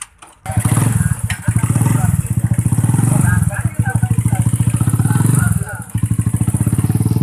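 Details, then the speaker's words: New Tech motorcycle with DC ignition that had misfired and would not rev, after ignition parts checked normal and a battery was fitted: crisp, regular exhaust pulses climbing cleanly on throttle with no stumble or popping; it runs right. "Kesimpulannya, jika jenis motor pengapiannya jenis DC, minimal aki untuk penyeimbang, gitu aja."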